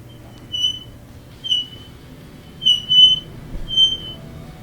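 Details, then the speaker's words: Frigidaire dryer drum turning with a terrible, shrill metal-on-metal squeal pulsing about once a second, louder at the back. A worn rear drum bearing is suspected. "Today we have a Fridgidaire dryer that's making a terrible squealing sound, metal against metal."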